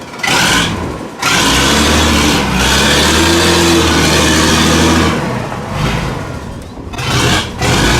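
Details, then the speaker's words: Weatherill loading shovel's six-cylinder diesel, revived after 18 years standing, driving through a rutted yard. It pulls strong and even under load, with revs rising and falling cleanly; all six cylinders fire. "listen to that now running on all six is a enough that is mad a see I told you a bit of work and that may free that valve"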